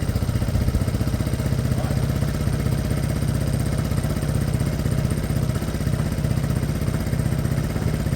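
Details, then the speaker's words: Piaggio Fly 125 fuel-injected scooter after engine swap, fresh oil: steady even low putter about four beats per second, no knocks or misses; smooth normal idle. "that sounds smooth enough I got fresh oil in there two or 3 minutes"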